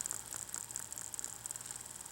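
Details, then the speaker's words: AHM GP18 model locomotive motor, run with bushings making contact: thin high buzz with quick even ticking, no rough patches; runs smoothly. "here how smooth it's running yeah"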